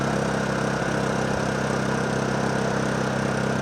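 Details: Honda EU2000i generator that only runs with choke on, choke on after new spark plug, warming up before carburetor cleaning; idles unevenly, beat wandering and hunting; rough running.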